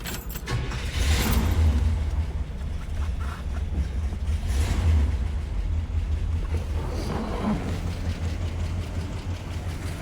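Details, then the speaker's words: 1966 Cadillac DeVille 429ci V8 with fresh tune-up, just started: fast, uneven top-end clatter over the low idle rumble, about four taps a second; seller suspects oil not being pumped up to the valves, possibly oil pump, unconfirmed. "I do not think it's getting oil pumped up to the valves enough"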